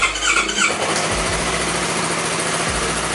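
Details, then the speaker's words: Flood-damaged Yamaha R25 twin, 68,000 km, first start after a major overhaul, with code 46 and the rectifier socket fixed: fires and settles into a busy idle with a raspy hiss and ticking; the noise is from the deliberately removed air induction system, not valves, bearings or pistons. "Nah, mungkin kalian akan notice ada suara berisik. Jadi suara berisik ini bukan dari sim klep maupun metal maupun piston, tetapi dia adalah dari ais ya."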